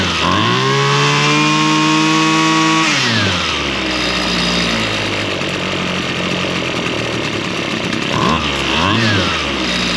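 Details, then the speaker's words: Two-stroke lawn tool revived from stale fuel after the carburetor's high and low mixture screws were reset: it revs cleanly to a steady high buzz and drops back smoothly. The diaphragm may be slightly stiff. Normal running. "And I think that's really about all it's going to take. It's It's running pretty good."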